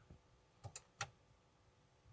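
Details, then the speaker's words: Alfa Romeo 159, ignition on, steering column unlocking (immobilizer ruled out): start pressed gives a faint click, likely the starter relay, then silence with no cranking; no-crank fault. "I can hear is a click and that's it so as far as I can see is nothing immobilizer issue because the steering column is is unlocking"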